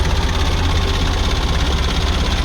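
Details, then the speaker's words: Kia Bongo diesel with electronic pump that would not start, now running after repair: loud, steady, even low rumble at idle; the engine idles smoothly. "So okay na guys umandar yung unit natin."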